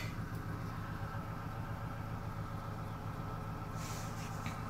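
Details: 2000 Dodge Grand Caravan SE, 192,000 miles, cold idle after fall cold start: deep, even rumble with no whine, knock or misses; normal cold idle.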